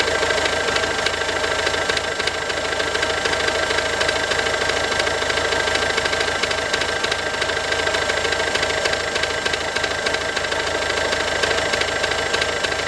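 Sharp, regular knocking at roughly 200 per minute rides over the diesel idle clatter; the knock is clearly abnormal, cause undetermined.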